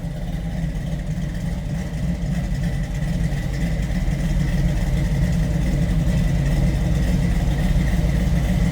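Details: 1929 Ford Model A street rod with 3-deuce Edelbrock intake V8 and dual Flowmaster exhaust: deep, even burble at idle with steady exhaust pulse, no knocks or misses; healthy engine.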